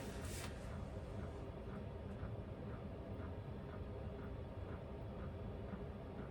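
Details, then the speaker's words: Vevor diesel heater in an uninsulated camper, on low fan with the other fan off: soft steady rumble with a light pump tick about twice a second; normal running, quieter than the high setting. "let's play with the settings a little bit on the diesel heater, because right now the diesel heater's low fan. It's pretty nice. It's very relaxing to listen to, whereas when it was on high, it had some decibels."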